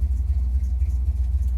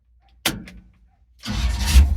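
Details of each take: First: Chevy C10 small-block (owner thinks a 283) with a new Maxpeedingrods Quadrajet carburetor, at operating temperature with a 160° thermostat: deep loping V8 idle with a steady pulsing throb, uneven; owner suspects ignition timing needs adjusting. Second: Chevrolet C10 small V8, possibly 283, with new Maxpeedingrods Quadrajet carburetor, warm restart at operating temperature with 160° thermostat: door thump, short crank, fires immediately into steady even low idle; owner thinks timing may need adjustment.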